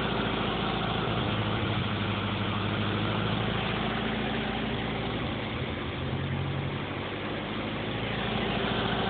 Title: Sr20 weird idle/misfires